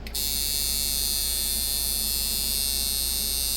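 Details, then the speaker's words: eBay Micky Sharpz hybrid clone coil tattoo machine before teardown, with a big contact gap and too much spring tension, around 147 at 77% duty: a steady high-pitched buzz with a thin rough edge and no change in speed; poor running. "oh God man he doesn't want to run either okay oh that's a pretty big gap there's a lot of tension in this spring on this thing still doesn't really want to run"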